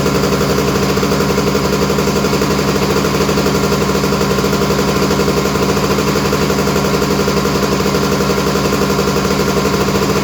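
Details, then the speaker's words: Honda EZ90 Cub single-cylinder, first run after turning the fuel petcock to run, smoke from WD-40 burning off the exhaust: a quick, even putter at a slightly high idle, no misses or knocks. Normal, healthy idle. "Running strong, sounds great."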